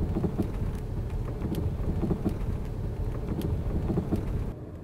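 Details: Front-end knock while driving: dull irregular knocks roughly every two seconds under road rumble. It persisted after bushings, the left shock absorber and the strut bearing were replaced; the cause was the steering rack.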